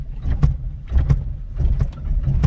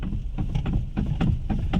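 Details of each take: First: Alto, engine mounting check by jerking the car in reverse: deep engine rumble surging in short bursts, no metallic clunk, mounts OK. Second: Maruti Alto standing at idle while the steering is worked back and forth: quick, uneven clunks over a low idle rumble, from the worn steering rack ball joint, which is joined to the rack end.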